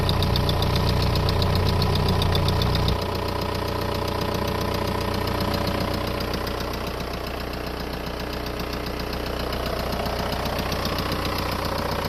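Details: VW Golf 4 1.9 TDI diesel idling with a regular knock, about two and a half per second, over a low rumble. Source of the knock unknown.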